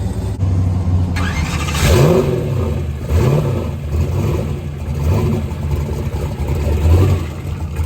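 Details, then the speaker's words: Turbo drag car with Black Sheep Industries 60mm wastegates, started after resetting the gap on a loose sensor held by two bolts: it catches with a lumpy, choppy idle and blips up in quick revs. It fires cleanly and runs healthy. "all right so we got fire so we're gonna go ahead and we've decided that we're gonna have to take this thing and calm it way down to get it to take off"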